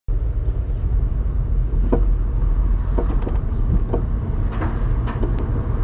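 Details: 2017 Honda Civic sedan driving: irregular dull clunks from passenger front suspension over steady road rumble; cause unknown.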